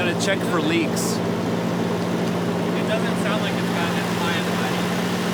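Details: Volvo 240 after a timing belt replacement, running again and warming up: steady, even idle with a low hum and no ticking or puffing leaks, a smooth-running petrol engine.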